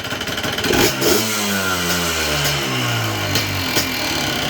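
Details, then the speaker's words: Yamaha Blaster YFS200 two-stroke ATV, cold, blips and chops like a two-step instead of revving out, bogging and stalling; cause is the brake switch limiting revs, fixed by looping the switch wiring. "So this is the secret to all the issues of your Yamaha Blasters. It lies within this brake switch"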